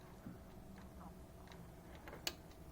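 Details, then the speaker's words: 1997-01 Honda CR-V keyless entry module on the bench, powered from a 12 V source with the ignition wire pulsed to force program mode: quiet room, then two sharp single clicks about half a second apart; the relay is switching normally. "Okay, so I'm going to go 1, push, 2, push, 3, push, 4. Hear it click? Just clicked."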